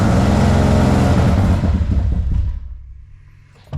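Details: Nissan 300ZX engine out of gear with a repaired injector harness: revs flare instantly from 0 to about 2500 and wind down, with heavy smoke; timing and TPS checked, owner suspects too much fuel, compression to be tested.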